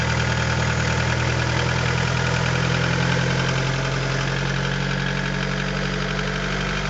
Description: B20A forged internals. Piston slap on cold start.